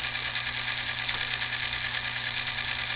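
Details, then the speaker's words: New brand-new Merkle-Korff gearbox auger motor for pellet stove, sealed motor shaft: steady even hum with faint whine, no knocks or grinding, quieter than older ones; normal motor running. "it is a little bit quieter than the older ones I can turn that on you can hear it running"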